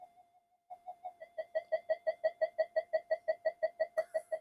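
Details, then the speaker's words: Old Minelab GP Extreme metal detector on the bench; mid-pitched tone pulsing about three times a second, frequency shifting when the master oscillator is touched; owner suspects instability in the phase lock loop section. "But to me, it sounds like it's in the possibly in the phase lock loop section of the detector. It's something is gone unstable"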